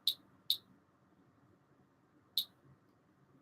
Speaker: yeah, this will tick a bit in the background all the time because it's a Geiger counter.